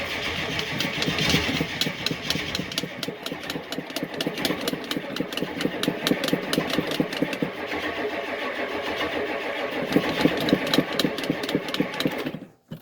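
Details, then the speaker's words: Cold diesel catches and runs rough several seconds, then sputters and dies, running only on fuel left in injection lines and pump; owner suspects air getting in, same as before fuel filter change. "she must have air getting in somewhere then that's what it did before i changed the fuel filter it would uh it would start it would run at the fuel that's in the uh injection lines and the pump and then that was that it would die"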